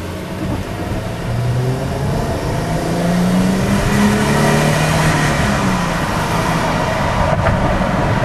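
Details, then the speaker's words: 2000 Mercedes-Benz C240 with 76,000 km accelerating on the road, heard through an open window: engine note climbs smoothly and evenly over some wind noise, no knocks or misses, running excellent through all gears. "can see it just accelerates flawlessly and the braking is superb"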